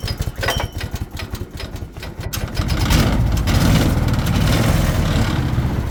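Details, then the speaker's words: Barn-find off-road buggy, small engine not run for a while, choke on: after a few coughs it catches and settles to a steady even idle with light centrifugal clutch rattle underneath, normal given loose tolerances; running fine. "It just hasn't run for a while, so sounds alright. Slight rattle from the centrifugal clutch, but that's pretty normal. Tolerances aren't the best."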